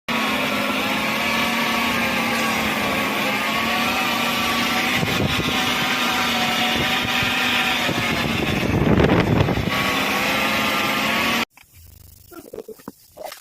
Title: grinding sound transmission